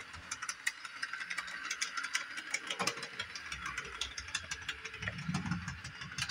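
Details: Repaired Bachmann Doodlebug model motor car on 18-inch radius curve at full controller throttle; light irregular clicks and clunks over thin motor whir, rough clunky drive; owner wonders if tight radius causes clicking, cause unconfirmed.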